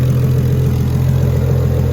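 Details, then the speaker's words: Nissan Skyline R32 GTR, fully built RB26 after a long rebuild, Borg Warner 8374 single turbo, Tomei 262 Poncams, first start. A steady, smooth, even low idle with no ticking, knocking or whining; it used to be much choppier. Normal idle. "yeah i mean it sounds good sounds good sounds like it's all working no weird sounds it's not it's like idling like normal like it's not even it used to be way more choppy"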